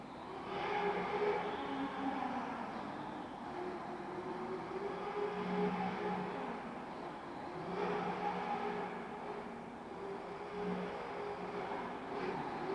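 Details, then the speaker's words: MJX 7304 Polo 1/7 RC car on its second lipo: harsh whirring growl rising with each throttle burst and returning on deceleration, runs fine otherwise; source not found, likely drivetrain noise under acceleration and deceleration. "Là, ça va, et dès que j'accélère, voilà, dès que j'accélère, c'est mort. Ou à la décélération aussi."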